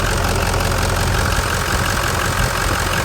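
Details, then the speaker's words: Cold start (about 84 degrees) of a Ford F-550 Lariat diesel after a new full set of injectors and a new IPR valve (stalling, hot-no-start-like fault); fires quickly, steady even clatter at idle, no miss or knock; normal idle. "All right, fires up, sounds actually like a full set of injections we just put in."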